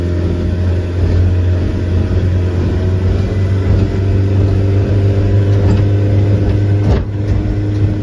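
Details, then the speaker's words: Mercury 90 hp outboard on a Shetland 535 on the sea after the spark plug change, full throttle, about 60.9 speed when trimmed: steady, even low drone with no misfire, stumble or knock; running normally. "so now I am sitting on the sea in my new boat with the engine that actually is running as it should I'm so happy about that"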